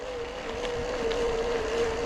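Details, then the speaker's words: 2021 Specialized Kenevo Expert e-MTB, Brose motor in turbo mode and highest gear, climbing a steep hill. Steady mid-pitched motor whine holds even with light wind noise; quieter than other e-bikes the rider has heard. Normal motor whine under load. "So yeah, you can hear that motor going. It's not too loud on this, to be honest. I've heard e-bikes have a lot louder motors, so here we go."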